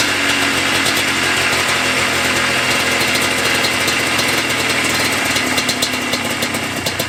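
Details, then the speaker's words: Yamaha Blaster 200 two-stroke ATV, abandoned, TORS system deleted, after air bleed screw adjustment: steady even idle without hunting or dying; fuel leak remains; steady idle. "Right there is play with the air bleed screw, which is here in front of the carburetor, and now it is much happier."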